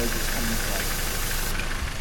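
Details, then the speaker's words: 1997 Toyota 4Runner idling while brake cleaner is sprayed around the intake manifold: loud spray hiss, idle turns ragged and rattly near the EGR system; vacuum leak at a torn aftermarket EGR block-off plate gasket. "So as I'm hosing brake cleaner around the intake manifold, the engine starts running like crap. So that means it's sucking the brake cleaner in, and it'll actually make the engine kind of knock, like give it a nasty rattle noise."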